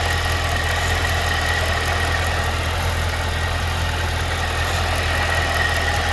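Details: 2012 Cadillac CTS-V V8 at idle: a steady idle with a light, somewhat uneven tick of about two or three per second over the hum; ticking/knocking at idle, cause not known.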